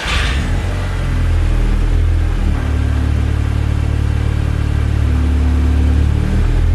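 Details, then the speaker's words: Salvage Audi A3 2.0 TFSI after the coolant hose and CV boot were replaced: a steady, even low rumble with a smooth settled idle and no knocks or misses, a normal idle. "but she's purring nicely lit she sounds pretty good to me"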